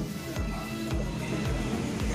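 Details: TOA 20 W mosque power amplifier at power-on: a falling howl repeats about twice a second over a loud steady hum, and mic/audio input gives no sound.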